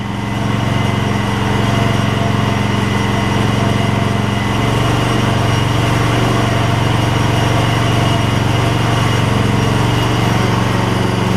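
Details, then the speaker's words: Gravely 16 Professional walk-behind mower after sitting a while and a little carb adjustment: small single-cylinder holds steady, even beat, no misses or hunting; runs like a top. "PTO should be great we're gonna put it out here say the PTO will work that thing runs like a top that's amazing just a little carb adjustment work"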